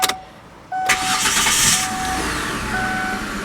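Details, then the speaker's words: 2005 Kia Sedona with 50,000 miles, after a broken clamp was removed from the exhaust: a brief crank, then an even, steady idle with no metallic clinking or rattle underneath. "yeah now it runs nice and smooth you don't hear that clinking metal down there"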